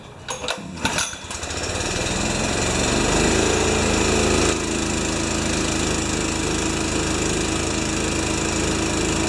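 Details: Honda-powered wheelbarrow air compressor that had sat for years, after an oil change, adjustments, a new Kevlar belt and a new pull cord, catches after a few pulls and settles into a steady, even beat with no misses; healthy.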